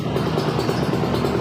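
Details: Kawasaki Ninja SS two-stroke with daily-use tuning, idling; said to sound smooth like a stock bike. Fast, even burble with no misses, rattles or surging before the air-screw setting is checked.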